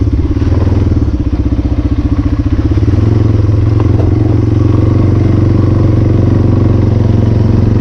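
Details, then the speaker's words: 1996 Yamaha Timberwolf 250 single-cylinder ATV run for the first time this winter above 20 degrees, about 46 today: low, thumping steady idle that stays settled without stumbling or dying; running better and healthy. "so first time I ran and I think it's definitely running better it likes it wants to stay running"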